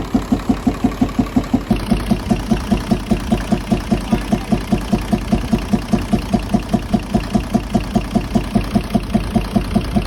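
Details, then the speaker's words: Nissan UD truck FE6 six-cylinder 24-valve engine at idle, steady regular chuffing about four to five times a second, loudest from the intake/air filter side; head to be opened, camshaft and valve seal faults suspected. "जिस तरह से मैंने आपको check करवा दिया है, इसमें आवाज़ जो है इनटेक की तरफ से ज़्यादा आ रही है, जो एयर जाली है उसकी तरफ से आवाज़ ज़्यादा आ रही है।"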